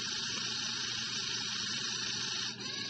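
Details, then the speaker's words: Zhu Zhu Pet toy opened for repair after it stopped working: its small motor gives a thin, high, steady buzzing whir with a brief dip near the end, spinning freely and healthy. "can hear the thing running a little bit right now, so let's push down on the rear."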